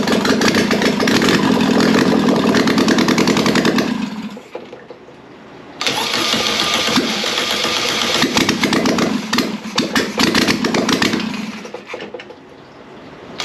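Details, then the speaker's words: Air-cooled 1600cc VW Beetle engine on first test run: it catches and revs briefly, dies, then restarts and surges unevenly with a little throttle, seemingly running only on the accelerator pump. Fuel starvation. "it does sound like we're only running on the accelerator pump I give a little bit of throttle and that's what it'll run"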